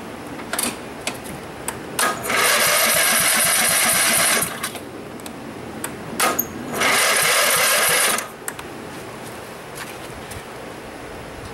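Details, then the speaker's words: Craftsman tractor engine, rebuilt with a new magneto and push rod, on temporary mounting bolts and run without a muffler: a quiet idle broken by two harsh, loud blasts of a few seconds each as the throttle opens. "yeah that wasn't that much louder we're going to run it with no muffler no muffler"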